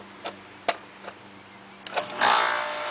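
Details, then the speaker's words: Upstairs HVAC condenser unit with a bulged separate fan run capacitor: contactor clicks, then the compressor hums and hisses with no fan; the compressor will overheat or trip on pressure within minutes; condenser fan not starting due to failed run capacitor. "compressor starts no fan so without the fan it'll overheat that compressor it'll only run for couple minutes"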